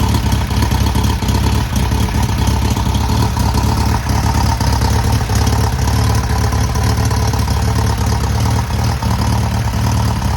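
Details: Freshly rebuilt air-cooled VW 1600cc flat-four, first start and break-in: steady deep even thrum at fast idle with no knocks or ticks; runs smoothly.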